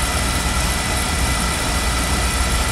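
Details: Beckett oil burner on an oil-fired furnace, test-fired after repair following safety lockout (CdS cell suspected): steady even roar with low rumble, no pulsing or dropouts; ran past the lockout point, normal running.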